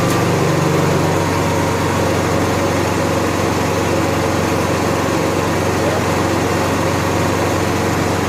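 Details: Honda EXW171S welder generator, sat in a barn over 5 years, run indoors after choke warm-up: steady, even drone at constant speed with no misses, knocks or hunting; normal running, healthy.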